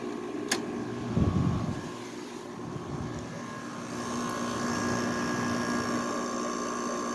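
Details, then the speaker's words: 2009 Haier window air conditioner with a Rotary compressor, started after cleaning in cooling mode; the suction line frosts as usual. A smooth, even hum with soft fan rush and no knocking or rattle: normal compressor running. "Compressor calm down. So yep, it's running. Nice sounding compressor."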